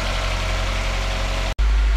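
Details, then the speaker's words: Toyota Tazz 1.3 carburetor engine after sitting overnight, cold idling after a brief rev; steady even hum at raised idle with no knocks or stumbles, held high for a richer cold mixture; normal cold fast idle. "this is a cold idling now it's got to be higher because a car demands a richer mixture when the toy is cold"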